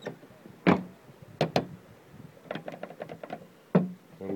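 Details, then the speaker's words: Mazda 3 stock interior door handle, before the fix: sharp plastic clacks and a quick buzzing rattle each time the handle is pulled open. The loose handle rattles and is heard even over music. "Дребезг ручки очень отчетливо слышно, когда музыка играет и когда открываешь."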